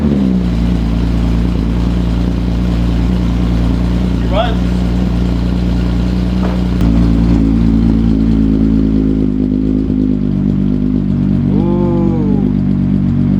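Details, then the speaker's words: Car just fitted with Autotech 262 cams and new spark plugs, no matching chip yet: a steady, even idle with a faint lope and no knocks or misses, running nice and smooth. Normal idle. "Running nice and smooth on this side. Everything is nice and smooth back here."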